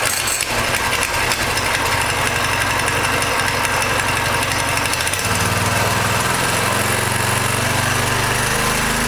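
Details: Coleman CT200U mini bike Honda GX200-clone engine with new 3/4" GX200 crankshaft, chain not connected: crisp even beat easing to a slower steady pace midway; healthy, normal running.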